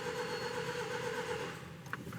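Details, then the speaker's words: 2015 Range Rover Evoque engine cranking after variable valve lift replacement, left to crank before starting: even, steady compression rhythm with no misses, compression building up; normal cranking compression. "all right that's two I heard compression coming but it also left so we'll keep going it's getting there it's getting there that's more like it"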